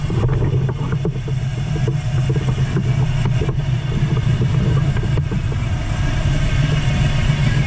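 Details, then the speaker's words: 1979 Camaro Z28, 400+ small-block Chevy with a gear drive, after swapping a Flowmaster 40 series muffler for a quieter Flowmaster FX: low, even idle with a soft steady beat and mellow, quiet exhaust note; running normally. "and then you can see how quiet the exhaust is now so take me a second but we'll uh get anyhow we'll do a quick walk around so you can kind of hear what it's like when it's sitting here idling"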